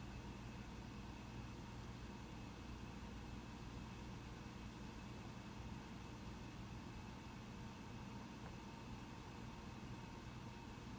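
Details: Mac Pro 1,1/2,1 with 32GB RAM under multi-core benchmark load: quiet, steady whoosh with faint low hum, no surging or rattles, fans ramping only slightly near the end; normal fan noise, system runs fine at 32GB.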